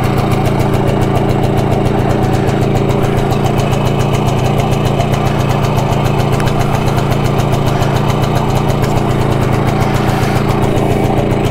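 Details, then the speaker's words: BSA D7 Bantam single-cylinder two-stroke motorcycle, restoration project with new spark plug, first start after rebuild: putters unevenly on a little choke, beat stumbling and irregular instead of crisp; it runs, but not very well. "Got it going. It started. It runs. Not very well, admittedly, but it runs."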